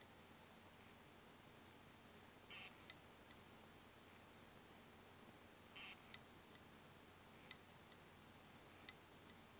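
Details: Western Digital WD3200BEVT-75ZCT2 320GB 2.5-inch hard drive, dead: sharp irregular ticks and brief scraping bursts about every three seconds in a quiet room; failing drive clicking repeatedly.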